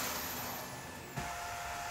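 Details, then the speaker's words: Chinese knife maker's belt grinder after replacing the exploded inverter: even motor whir with strong fan rush and a high whine sliding down then steadying; motor and fan run healthy after repair. "you that little motor fan really uh runs hard and i can feel it sucks air in"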